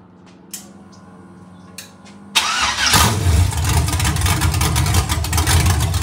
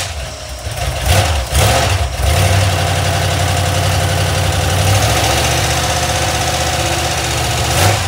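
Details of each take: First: Iron 5.3 LS LM7 V8, believed 2002–2003, likely BTR Stage 2 truck cam (212/218, about 9° overlap), on a run stand with open headers; quick start, lumpy idle whose lope vanishes with any rpm, healthy and not very loud. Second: Iron 5.3 LS LM7 V8, believed 2002–2003, mileage unknown, likely BTR Stage 2 truck cam, on a run stand on first start; lumpy idle with fast light lifter ticking from unprimed lifters, one bank smoky.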